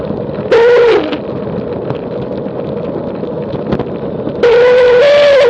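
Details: Vehicle descending with road rumble throughout and a wavering tone near 500 Hz that comes and goes, source not pinned down; noise and vibration when descending.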